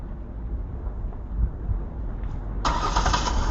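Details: 2009 Ford Taurus with no-power, no-start condition, no dash lights and clicking, fixed with a new heavy-duty battery terminal; after repair the engine catches cleanly at once and settles into a steady normal idle.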